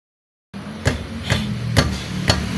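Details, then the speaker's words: Toyota Vios (Limo Gen 1, 2005), front left wheel: four sharp metallic knocks, like metal striking metal, from a loose brake caliper, also heard driving over uneven roads; quiet after the fix. "ini kan ada suara-suara yang aneh ya. Kayak besi beradu gitu."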